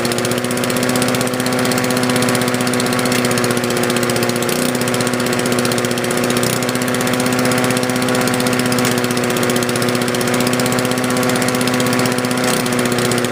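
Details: 1981 Honda HR17 push mower, Honda flathead engine, control set to middle (on) position, inoperative blade brake clutch: steady even buzz at constant speed, no misses or knocks; still runs fine after 30+ years.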